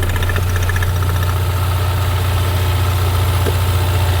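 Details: 2016 Ford Mustang EcoBoost direct-injected four-cylinder, which a shop called bad, idling. Steady idle with soft rhythmic puffing about two and a half per second: normal crankcase pressure pulsing, not blowby.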